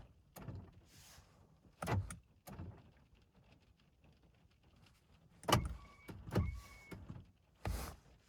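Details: 2013 Honda Fit power door locks: repeated sharp clunks of locks cycling on their own in bursts a few seconds apart, sometimes triggered by windows, wipers or horn; traced to faulty door lock knob switch wiring.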